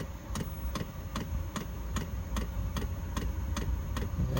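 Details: Hcalory 12V 5KW diesel air heater in a gym with upgraded fuel tank, starting to heat. Crisp evenly spaced ticks about every 0.4 seconds over low hum: fuel dosing pump metering fuel normally.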